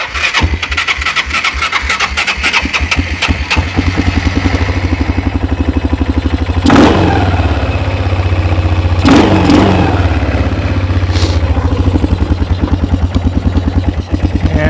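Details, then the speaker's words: Kawasaki Bayou 220 ATV with suspected bad gas, starting-fluid test: steady cranking ticks, then engine catches and runs a few seconds on starting fluid, not dying right away; spark and compression present, fuel delivery suspect, low oil also suspected. "there goes the starting fluid actually i want to it did not die right away i want to add some gas to this and see maybe if it was just a little oil that caused this one not to run"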